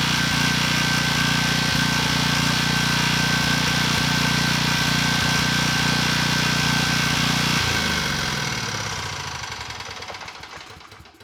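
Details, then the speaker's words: Briggs & Stratton engine, model 210312, on a Storm Responder generator, reportedly under 50 hours, run out of oil: steady knock three to four times a second while running, fading at shutdown; suspected rod knock. "It's trying. I think I just got scammed. It sounds like rod knock to me."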